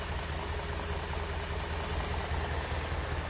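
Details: BMW N62 V8 that suffered random multi-cylinder misfire: even, steady low idle thrum with regular firing and no miss or stumble; V8 idling smoothly.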